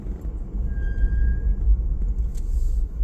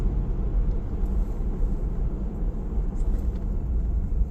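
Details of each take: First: 4Runner fitted with an adapted Tacoma 13-inch 4-pot big brake kit, two-piece rotors and XT910 street pads, after about 5 miles of rebedding: a brief thin squeal under light braking to a stop, from a worn-thin pad deposit layer on the rotor. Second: 4Runner with an adapted 13-inch 4-pot big brake kit, two-piece rotors and XT910 street pads, during rebedding: stopping with a bit more pedal pressure gives only low road rumble and no squeal or grind; the brakes are now quiet.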